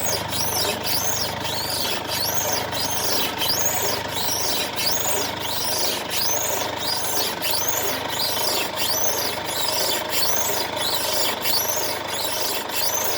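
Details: 2016 Mercedes-Benz C220d W205, known underbody noise on rough roads, car rocked in place: sharp rising sparrow-like chirps about once a second; worn control arm bushing creak, control arm replacement job.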